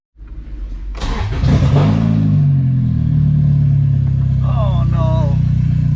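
Loud, raw blatting exhaust that swells as the engine revs up and holds high; the harsh bark points to a leaking, blown exhaust.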